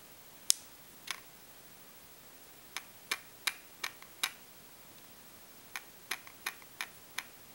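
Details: New Olympus OM-D E-M1, powered off, shaken up and down in a quiet room gives clusters of light clicking; owner wonders if the 5-axis stabilizer is normal or an initial defect; rattle when shaken.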